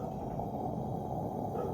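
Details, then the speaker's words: 1972 Form Tech model 252 military lantern, lit after assembly with the vent cap on: steady, even, throaty burner roar with no sputter or surging; burning cleanly, normal. "But yeah, that's burning real nice. You can hear it."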